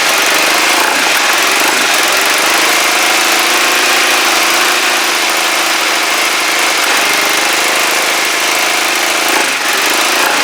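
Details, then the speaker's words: Kawasaki GPZ500S twin, carb vacuum port blocked with a screwdriver: lumpy loping idle with stumbles, raspy with little low end; vapour seen, possibly unburnt fuel; owner suspects carburettor, doubts timing. Rough running, cause unconfirmed. "not happy I'm beginning to think careta I really am uh it's not timing convinced it's not timing"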